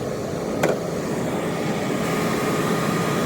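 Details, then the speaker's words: 1987–1995 Jeep YJ rebuilt heater box with new blower motor and heater core, on defrost: strong steady rush of air with even fan hum, no rubbing or ticking; quieter than before when the bearings were noisy. "Sounds a lot quieter than it used to. The bearings were really noisy in there. Blowing air like crazy too."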